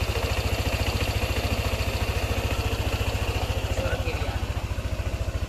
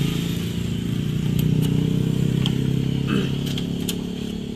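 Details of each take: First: Yamaha NMAX scooter that came in with a ticking noise suspected from the valve rocker arm/camshaft area, after repair including the tensioner and refilling the radiator; even, steady putter with no ticking; normal idle. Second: Yamaha NMAX scooter, about 3 years old, rough noisy engine idling: a light uneven tick of about four per second, clearly from the cylinder head, attributed to a worn cam bearing and loose valve clearance.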